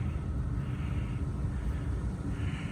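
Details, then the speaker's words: Gas pack rooftop unit with boards powered, neglected and never cleaned: steady low rumble with no rattles, squeals or surging; running smoothly. "All right, it's running. Somebody serviced it."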